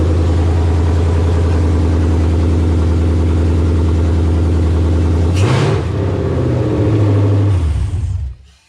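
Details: 1984 Fox-body Mustang with swapped Gen II Coyote V8 from a 2017 Mustang GT, just fired up, no coolant yet; steady even low idle, a brief blip, then clean shutdown, sounds good — normal idle.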